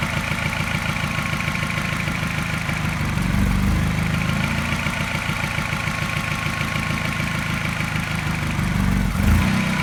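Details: Mini with N12 engine, not cold but not fully warm, after new catalytic converter and O2 sensors: fast smooth idle with a light regular tap, about three a second, coinciding with a mild pulsing misfire; cause unknown.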